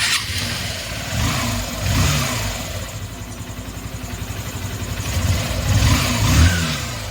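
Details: Honda CB Shine BS4 motorcycle after engine rebuild (bore work, new piston, timing chain, clutch assembly): starts, blips up and settles to steady idle with no knocking or rattle; runs very smoothly. Normal running.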